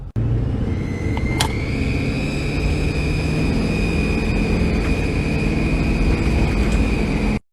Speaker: Customer states, engine sounds like one of those rubber chickens that you can buy at the store.